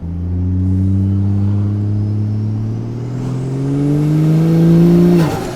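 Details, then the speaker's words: Ford FG XR50 ute with turbo Barra, not yet fully tuned and with boost creep issues, accelerating out of a roundabout: strong pull with a high clean turbo whistle rising with revs, sharp drop off throttle; healthy spool. "the turbo sounds mint like I'll give you guys a little bit of a stub coming out of this roundabout right here sounds good the whistle is so intense I I love it"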